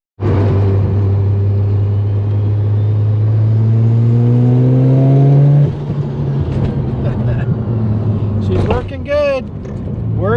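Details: Mazda RX-7 FC3S turbo rotary on a drive before dyno tuning, boost leaks fixed and now overboosting to 20 psi: smooth, even drone that climbs steadily with the revs and pulls cleanly, with no misses or knocks.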